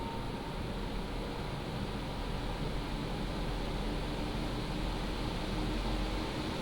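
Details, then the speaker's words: PCcooler DT360 ARGB 360 mm liquid AIO cooler, pump at 100% and radiator fans on high profile above 3,000 rpm under a Cinebench load: a steady, even rushing hum with no whine, rattle or clicking. The fans are healthy at full speed. "There we have it. That's how it sounds like when it's at load."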